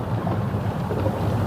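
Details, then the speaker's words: Honda i-VTEC car on test drive after disc resurfacing with sandpaper: only low cabin and road rumble while braking, the week-long brake noise now gone. "अब हमारी जो आवाज थी वो अब नहीं आ रही है लगाना भ ब्रेक अब जो ब्रेक की आवाज नहीं आ रही जो पहले आ रही थी"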